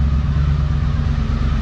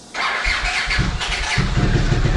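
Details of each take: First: Healthy idle of a 1982 Honda CX500 Turbo started after 25 years off the road, following a new fuel pump and ultrasonically cleaned injectors; deep, even V-twin burble with a steady beat, no misses or knocks. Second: 1982 Honda CX500 Turbo not run in 25 years, new fuel pump installed, injectors removed; on sprayed brake cleaner it catches and revs roughly a few seconds then sputters out; no fuel delivery from clogged injectors, fix is cleaning them.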